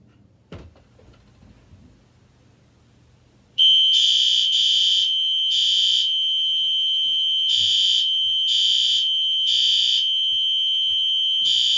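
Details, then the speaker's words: Fire alarm in a basement, on test: sharp, high-pitched horn blasts pulsing about twice a second in a quiet room; alarm horn sounding normally. "uh we're gonna be giving uh the fire alarms a test so you can hear what uh the fire alarms sound like down here uh it might be loud so just a little warning uh turn your volume down"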